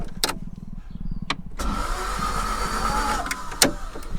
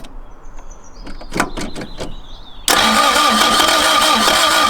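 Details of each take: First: 1990s Toyota MR2 Mk1 revived after sitting, spark plugs in: a few clicks, then the starter spins the engine over steadily with an even churning rhythm, no fire yet; normal starter cranking. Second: Toyota MR2 Mk1, project car, first start attempt: starter spins the engine steadily for about five seconds but it never catches, and no fuel pump is heard; owner suspects a dead fuel pump; cranks but no start.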